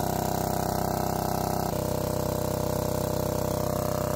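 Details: Old barn-find Lombardini 15LD400 diesel generator on a temporary fuel tank, pretty loud: steady even clatter at constant speed, about four beats a second, no misses; normal running.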